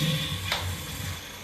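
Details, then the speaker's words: Urinal flush valve that flushed continually, after replacing the bad diaphragm (new rubber can squeak): short rush of water that tapers and stops cleanly with no hiss or run-on; normal flush and shut-off. "good flow you want it to come up a little bit so it'll suck all that year and down"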